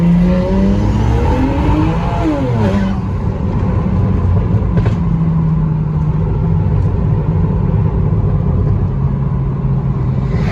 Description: Video demonstrating what a rolling misfire looks and sounds like on a bmw 335i n54